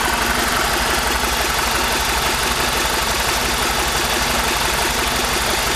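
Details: BMW E46 318i engine at idle: steady idle with a fast, regular ticking clatter of about three per second and plenty of hiss; abnormal engine noise, cause unknown.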